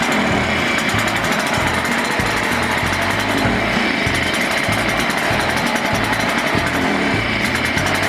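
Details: Burned-up Echo PB-500T backpack blower two-stroke during rebuild: a ragged, uneven buzz that stumbles and surges instead of holding steady. The carburetor needs a rebuild kit and dialing in.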